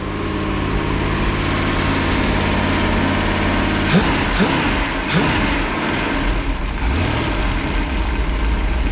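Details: Freshly rebuilt 1968 Pontiac 400, high compression with small-valve heads, during break-in after fixing a failed cam swap and the wrong intake; it has a new cam and a 60 lb oil pump. Deep V8 idle with a slight rhythmic lope from the bigger cam, steady and clean: normal idle.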